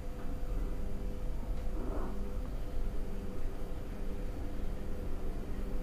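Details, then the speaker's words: Noisy ceiling fan: steady hum with a faint pulsing rattle from the motor bearing before being opened and treated with WD-40. "Oke Guys itulah bunyi kipas filling yang agak bising sok mengganggu kita punya pendengarannya"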